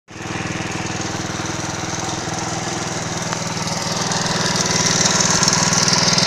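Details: Alpha 110cc moped engine at idle: steady, even tapping knock about four per second over the exhaust beat, rising slightly as revs pick up; engine knock, cause unknown.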